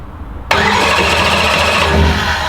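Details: Boosted big V8 with two sets of billet atomizer 700 injectors (secondaries in charge pipe) barks into life and runs rough and uneven, misfiring; has spark, other injectors confirmed working with noid light, cause unconfirmed (firing order or vacuum suspected).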